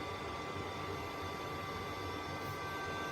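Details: Old Danfoss frequency drive for an air handling unit, six years older than an identical new one beside it: its heatsink cooling fan runs flat out with a loud steady rush and fixed whistling tones, very noisy. Finding: cooling fan stuck at full speed.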